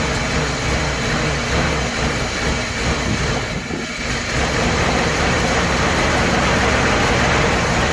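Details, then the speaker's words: Nissan Hardbody in freezing weather after sitting outside: starter spins engine at steady, even pace but it never fires; cold crank, no start, cause unknown. "still nothing it just kicks over so I'm not too sure what's going on guys"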